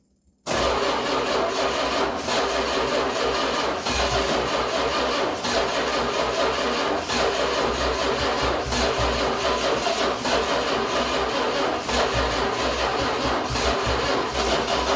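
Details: 1966 Chrysler New Yorker parked 18 years (last tagged 2005), first start attempt with fuel added and floats working: starter churns steadily over fifteen seconds but never fires. Possibly too much fuel; cause not confirmed.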